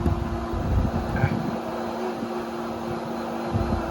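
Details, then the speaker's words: In-ground pool pump on Hayward OmniLogic automation ramped to 100% speed for water slide and deck jets; steady, even hum with constant low tone and water rushing; normal full-speed running. "Now the pump's already spooled up. Now you can see the deck jets going, and there they are."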